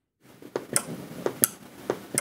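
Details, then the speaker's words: 3.3V relay module driven by an ESP8266 at 3.3V: sharp crisp clicks in a quiet room, about six in two seconds, as the relay pulls in and drops out cleanly with the LED blinking; switches reliably, normal. "wir sehen die LED blinkt und wir hören auch das Relais schalten also 3,3 Volt schalten funktioniert hier mit schon mal deutlich besser als die 5 Volt Relais"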